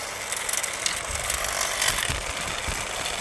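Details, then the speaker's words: Trash-found 1965 Bell & Howell 652 16mm film projector, first power-up, some smoke: reverse now working and rear belt engaged; steady whirring chatter with light uneven clicking from the drive, turning freely. Normal running. "So, reverse is now working and that rear belt has kicked in."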